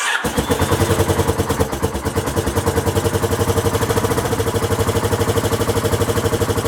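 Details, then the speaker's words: Honda XL1000 Varadero first start after rebuild: catches right away, smoky, loud uneven chuffing idle about 150 beats a minute; rough from exhaust blowing at a missing clamp on the other side. "i'd say it sounds rough because obviously the exhaust is blowing and that's down to the clamp on the other side"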